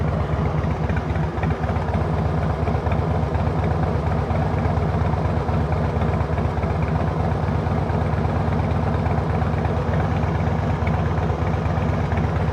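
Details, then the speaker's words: 2005 Harley-Davidson Heritage Classic with CV carburetor and carburetor-related issues, just after a hard start: low, loping idle, beat uneven and lumpy rather than smooth; rough unsteady idle, not starting or idling as it should despite good power. "But, uh it's just not starting and idling the way that it should."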